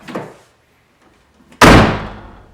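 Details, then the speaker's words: MK3 Toyota Supra door slammed with the window all the way down: harsh buzzy rattle lingers after impact, the glass rattling inside the door, before repair. "when the window is all the way down you can hear it rattle inside the door when you close the door one more time"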